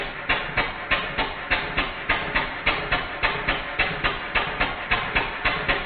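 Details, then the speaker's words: Stuart No. 4 steam engine, rebuild finished with cylinder drains fitted, running on compressed air on the bench with soundboard rattle cancelled: crisp, even exhaust beats about two per second, steady and regular; sounds healthy. "I'm going to cancel out the soundboard effect, so you'll be able to hear the engine working, not it rattling about banging on the bench."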